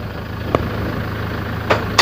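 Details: Toyota Hilux Tiger D4D 1KD 2.5 diesel after injector replacement, valve adjustment and cleaning, previously knocking with white smoke and dipstick blow-by; steady, even idle with smooth low rumble and stray handling clicks; engine runs clean after repair.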